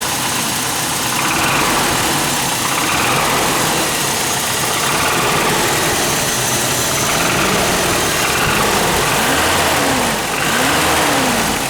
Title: Toyota 22RE Death Rattle Noise In Motorhome